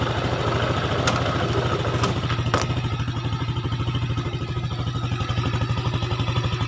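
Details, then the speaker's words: Yamaha Jupiter single after fitting Mio connecting rod and piston: even, solid idle pulse with no knock or rattle; sounds denser than before, when it was very rough and weak, as compression is now standard. "Gimana Lur suaranya sama yang sebelum kalau yang sebelum sangat parah ya kalau yang sebelum [Musik] diganti ini sekarang sudahah suara nya standar atau pastinya lebih padat ya kalau sebelumnya rada ngempos ini lebih padet suaranya karena kompresinya standar"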